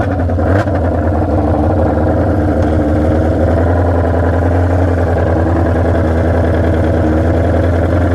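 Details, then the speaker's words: Junkyard Honda CB750F that sat for decades, first ride with battery fitted: loud, blatty note wavering unevenly as the rider rolls on, ragged firing beat; running rough, cause unknown. "oh man it is obnoxiously loud that's scary she is not happy not happy at [Music] all"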